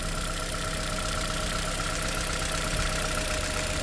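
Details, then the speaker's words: Toyota Corolla (ZRE152 or 182) with check engine light, idling rough with an uneven stumble; coil-swap test shows this cylinder's ignition coil is bad while compression, plug and valves are good; misfire from failed ignition coil. "So that tells us that this coil is bad."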